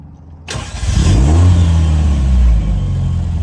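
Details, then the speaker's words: Warm 1975 MG Midget 1500 with new Wosp high-torque starter, after a 30-minute drive: starter spins briefly and engine fires almost instantly, settling into smooth even idle; clean, healthy start. "Just instant really quick start."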